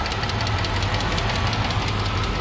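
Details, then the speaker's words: BMW E60 at idle, about ten years old, after fuel pump work: a fast, light ticking rides over a steady idle; the owner suspects the lifters. The charcoal canister solenoid was found disconnected and was reconnected. "Listen to this. Here will be the lifters, but after 10 years, what are you expecting?"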